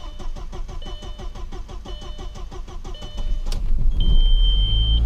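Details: Car with a suspected no-start; owner theorized the fuel pump wasn't priming with fuel too low. After the pump is heard priming: even cranking at about three turns a second under a chime, then the engine catches cleanly and settles into a steady run.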